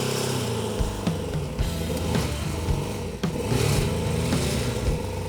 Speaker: It runs though. >> Yeah. Start her up. It starts right up.